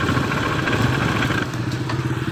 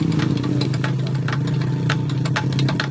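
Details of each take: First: Honda Beat ESP 2015–2016 scooter revving: smooth at idle but a coarse, gritty drone at higher throttle. The CVT was opened and the variator rollers were found shattered, causing the roughness. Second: Honda Beat ESP 2015-2016 scooter, CVT felt rough under throttle; after replacing worn-out rollers, steady low engine hum with light clicks and rattles, even and unstrained; normal running.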